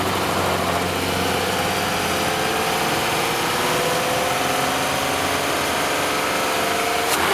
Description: What you're hearing here is both a combination of the intake shifter bushings being worn out, and a vacuum leak of one of the gaskets of the shifter rod, which is the green gasket that can be seen at around 0:30 . The rattling and poor sound of the engine is because because of the vacuum leak.